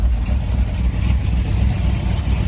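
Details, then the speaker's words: 1965 Ford F100 body on 1974 highboy chassis, supposedly crate 390 V8, automatic, just after carb swap, warming up: deep lumpy note surging and dipping unevenly before shutoff; rough running, carb rebuild planned. "I shut her off. She was starting to run pretty rough."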